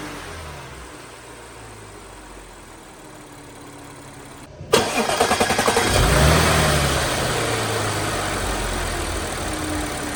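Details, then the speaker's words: Audi B8.5 S4 3.0T supercharged V6, 6-speed manual, stock intake, stationary: starts, steady idle, then climbs cleanly in revs (standstill limit about 4,000 rpm otherwise); healthy, no odd noises. "These cars, when they're standstill, they only rev to like 4 grand. But if you turn off traction control and you hold the button and you press the clutch in, it lets you rev all the way to red line."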